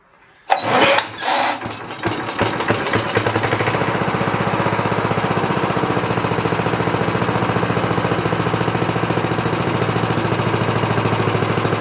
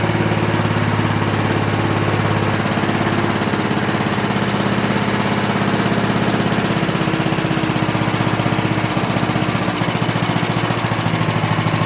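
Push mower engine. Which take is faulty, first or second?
first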